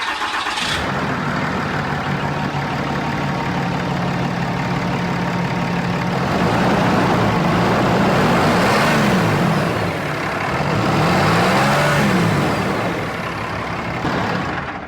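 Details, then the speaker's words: Cummins 5.9 diesel truck, turbo whistle ring still fitted, open intake: engine catches and settles to steady idle, soft turbo whistle swells and fades with each blip; normal diesel idle with healthy turbo. "for pops he probably don't really care about turbo noise there but I can still hear a little bit even on the stock truck you know what I mean"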